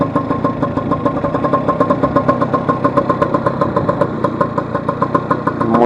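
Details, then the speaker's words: Vespa 150 on a test ride after repair of a loud engine noise caused by a broken elastic pinion, with the right engine cowl removed to watch for leaks. The two-stroke idles with a steady, even putt-putt and no knocks; brakes are fine. "Damos la vuelta aquí, los frenos perfectos,"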